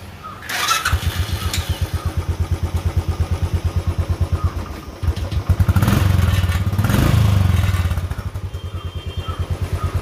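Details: Royal Enfield Classic 500 single with a starting and missing problem: slow, uneven cranking thumps, then it catches and settles into a steady low thump about three beats a second.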